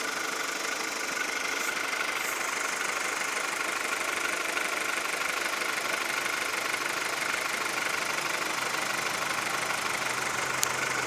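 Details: 2002 VW Golf 4 1.4, 75 hp, sounds like a diesel: light, fairly regular knocking about three per second over a steady idle; engine knock of unknown origin.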